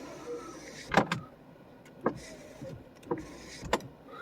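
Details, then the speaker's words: Power window on a 1992 Mercedes 600SEL: motor runs with uneven clunks and clicks about once a second as the glass travels; something loose in that side's window regulator, cause not confirmed. "the window regulator on that side would need attention. Something is losing there."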